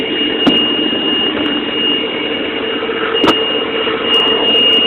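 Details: 2002 Sea-Doo GTX at idle, oil pressure verified good with a gauge, front sensor pulling signal to zero volts; steady high-pitched warning squeal with a couple of clicks persists; false oil pressure alarm from failed sensor.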